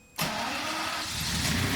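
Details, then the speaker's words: 1997 Lamborghini Diablo VT Roadster after fixing a starting/running fault by adding two extra grounds to the fuse box: engine catches on first crank into a full, even roar with no stumbling; now starts really well. "Okay, there we go. So, works perfect now. All right. Okay, go ahead and shut it off. Yeah, so now it starts up really good now."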